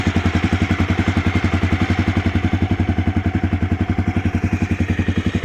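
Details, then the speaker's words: 1988 Honda NX 250 single-cylinder dual sport, just after a cold start: even, steady thump around 220 pulses a minute with no misses or rattles; strong, healthy idle. "sounds awesome [Music] like I said runs real strong guys these engines are bulletproof"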